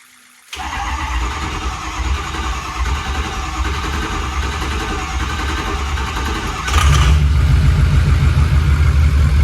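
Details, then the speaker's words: 1974 Ford Dentside crew cab with a 6.0L Powerstroke diesel on a 2006 F350 chassis swap, first start after priming a drained fuel system with a new battery and no coolant yet: catches at once, one brief rev, even diesel clatter, normal idle. "right now it'll work now I can do modifications and uh tidy things up"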